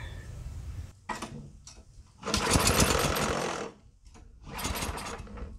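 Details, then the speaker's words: Yardworks 27-inch two-stage snowblower, started on starter fluid with the choke on to check spark and compression: a few ragged firing bursts between gaps, then it dies. It was promising, but some weird sounds were heard. "okay well that was promising I sounded like something but I also heard some weird stuff too"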